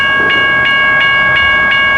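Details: Railroad crossing malfunctioning at Richard Arrington Jr. Boulevard, Birmingham, Alabama, with GS Type 1 bell: bright strikes about three a second ringing continuously; signal stuck active, a ballast train suspected, blown bulbs later replaced.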